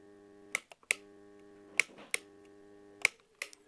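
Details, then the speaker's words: Pump motor hums steadily with sharp clicks but won't turn unless spun by hand; cause is a weak or failed start capacitor or a broken starting coil wire. "ketika pompa dinyalakan seperti ini dan tidak mau berputar ya namun timbul suara berdengung seperti ini dan ketika dibantu berputar ya baru mau berputar"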